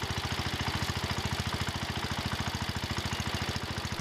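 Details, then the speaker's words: John Deere 110 garden tractor engine after rod knock repair: idling with a quick, even thump, lifters ticking and a rattle like belts flopping, no rod knock heard. "okay that sounds better now I hear the lifters ticking and some other stuff rattling sounds like the belts flopping around some but I don't hear a rod"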